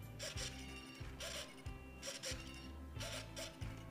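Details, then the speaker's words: HobbyZone Sport Cub S 2 RC plane: short whirring buzzes in bursts as the control surfaces move, with an electronics hum between them; normal servo buzz from the active SAFE/AS3X stabilization. "you can hear buzzing coming from the servos that is the safe and as3x system working in the airplane"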